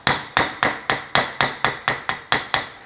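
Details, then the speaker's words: BMW E46 purple-tag steering rack rebuild: bearing driven in with hammer on a socket, steady blows whose ring changes to a solid higher note as the bearing seats fully home. "Next step, we'll get this bearing in. Again, we're just going to get our help from another socket. You can hear that change in sound."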